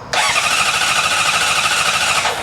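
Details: 2005 Honda CBR600RR with a newly replaced fuel pump, cranking in neutral with the clutch held: a steady high starter whir for about two seconds with no firing at all; no fuel pressure, traced to an unseated fuel pump O-ring.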